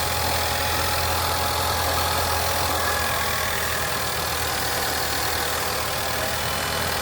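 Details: Petrol car idling steadily after starter replacement, smooth even hum with no knocks or grinding; the old starter had only clicked when jumped and was diagnosed bad.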